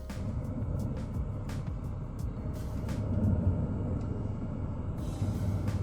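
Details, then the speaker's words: Autoterm diesel heater newly fitted in classic camper van, first firing after fuel primed: low steady combustion roar with fuel pump ticking irregularly above it; running normally. "there we go she's started to fire [Music] up that's the noise you will hear that is the noise you're expected to hear then you can hear the pump ticking away nicely full of fuel"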